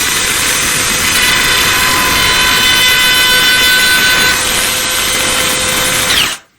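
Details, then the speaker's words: Milwaukee router with about 3/16 in profile bit, freehand cutting compared with Ryobi cordless and DeWalt. Loud steady high-pitched scream over motor whine; bit microscopically moving and chattering, possibly bit extended too far. "Now, that really high-pitched sound that you heard, that is the bit just microscopically kind of moving. That has a little bit of a chatter to it."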